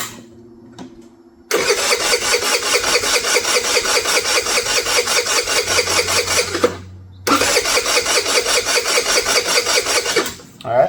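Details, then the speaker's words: Abandoned MVP 49cc Chinese scooter before carburetor, intake, plug and coil replacement, starting fluid sprayed into the airbox: starter churns in steady bursts about 2.5 a second with weak catches, never fires; fuel starvation, possibly flooded with starting fluid. "You can hear it try to kick there a little bit. It's trying. It's just getting no fuel."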